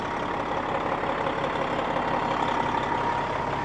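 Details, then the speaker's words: Cabover semi truck long parked outdoors, jump-started in neutral: even, steady diesel idle with a smooth low rumble, no knocks or misses; runs normally and builds oil pressure. "oh baby forgot what exhaust sounds like that thing sounds sick"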